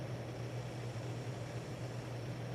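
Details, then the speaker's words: 52-inch Hunter Original ceiling fan dated April 1982, three-speed conversion, wide 15° pitch blades, on high: steady low motor hum with soft even rush of air, no ticks, wobble or scraping; normal running. "as with all Originals this moves a lot of air it's got wide blades has 15° blade pitch and you cannot beat these motors"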